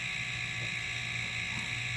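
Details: Homemade silent airbrush air compressor, running after the ineffective water/oil separator was replaced with a moisture trap: low steady motor hum with a soft even air hiss and no knocking or rattles. Very quiet, running fine.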